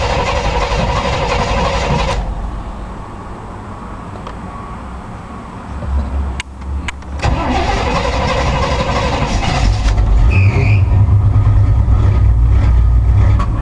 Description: This is my 1986 k5 blazer I have not started it in about 2 weeks. It would of started easer but it's only running on 4 cylinders.